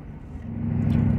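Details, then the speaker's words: Grand Marquis with Ford 4.6 V8 after fitting cheap eBay/Amazon ignition coil packs to fix a misfire: even, steady low rumble building smoothly as it pulls away, no stumble or skip; running normally. "uh it basically just runs like it should you know all these claims of like more power and better fuel efficiency and blah blah blah you know I don't buy any of it uh if it just runs like it should then sure yeah I'm happy with it and so far it runs like it"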